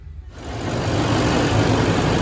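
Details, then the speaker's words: 2013 LML Duramax diesel after replacing injector #3 and programming its flow rate; before, it ran on about 7 cylinders with rough, shaking idle: now catches and settles into steady, even idle with no stumble; seems fine. "So I just wanted to fire it up before I clean up and make sure it was good. Seems to be fine."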